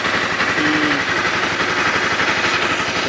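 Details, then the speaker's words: Honda CBR 250 after fixing a strange banging on acceleration caused by a crooked-fitted part touching: small engine idles with a steady, even pulse, no knocking, now normal. "porque foi só isso a solução de um problema que eu posso ligar agora está normal"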